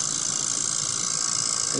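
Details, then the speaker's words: 2004 Toyota Prius parked and switched off: a steady high electric-motor whine runs nonstop and keeps going for a while, also heard while driving; the ABS pump runs continuously because the ABS unit is leaking. "just noise it just keeps on making it even when the car's off and it'll keep doing it for a while"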